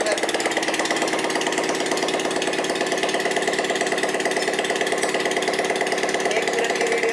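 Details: Bajaj Platina motorcycle running without its silencer during engine repair: sharp, rapid popping beat from the open exhaust at steady idle with an odd rattle on top; source of the strange sound not pinned down.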